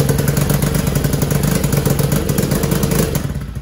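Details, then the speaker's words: TAO 110cc ATV with only 50 psi compression: it starts and idles but buzzes flat and uneven, won't rev up and has no power. The engine was replaced with a new one. "So she fires right up and runs. See what it does there? It just ain't got enough poop in the shorts because it only has 50 pounds of compression."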